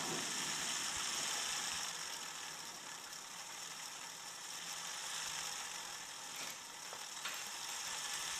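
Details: ADDA computer fan with bad bearings running: dry, ratchety rattle about four times a second over steady airy hiss, dishwasher in background; bearings improving, fan now coasts to a stop when powered off.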